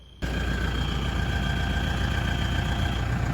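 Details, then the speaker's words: Toyota Land Cruiser Prado 120, 3.0 L 1KD-FTV diesel, after cold start: steady high whistle over the idle from a slight exhaust leak at the failed middle exhaust gasket, though it seems to come from the last one. "this beautiful noise is caused by the exhaust because there is a slight exhaust leak"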